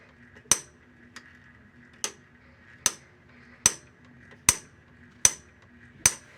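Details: Washing machine making sharp dry clicks roughly every 0.8 seconds, unevenly spaced, in a quiet room; owner suspects a broken shift actuator and plans to replace the actuator and splutch cam kit; clicking.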